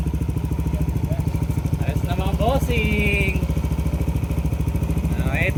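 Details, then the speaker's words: Yamaha NMAX 155 V2, previously hard to start, running after hours of throttle body cleaning and refitting the idle speed control sensor: an even, steady putter of about three beats a second, holding a stable idle without stumbling, now normal. "Matapos ang ilang oras na paglilinis, papaandarin ko na nga itong motor para alamin kung nagkaroon na nga ito ng idle."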